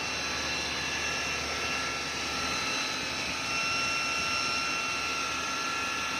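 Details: Humming noise from a 2013 Chevrolet Malibu engine: a steady high hum with a few fixed whining tones, even over the engine; timing chain noise suspected, cause unclear from sound alone.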